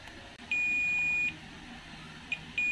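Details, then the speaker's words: Toshiba 32P2400VJ 32-inch LED TV with a blank picture but working backlight, capacitors removed from the board and tested; the meter gives a steady high-pitched continuity beep for almost a second, then again. Of three capacitors, this one is shorted. "teman-teman bisa dengarkan kapasitor ini short tapi untuk dua ini tidak"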